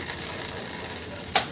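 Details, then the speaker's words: Bicycle front derailleur after trimming near the biggest rear cog: light, quiet chain whir with one crisp shift click, rub gone, no scraping. "and now the rub is gone that's our trim on the front"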